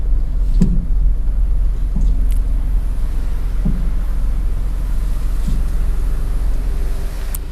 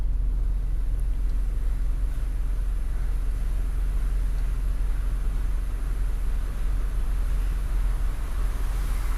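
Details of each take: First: Car driving on the road with dull, low front-suspension thuds about once a second over road rumble, described as a "dug dug" sound; suspension clunk traced to the stabilizer link. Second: Car on the road after tightening a loose nut found while checking front suspension for a duk-duk knock: steady low road rumble with no knock or clunk over bumps; front suspension now tight and quiet.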